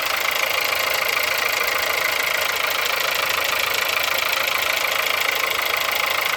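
A sharp, steady metallic ticking of about four beats a second rides over the cold idle; there's a clear knock in the engine on cold start.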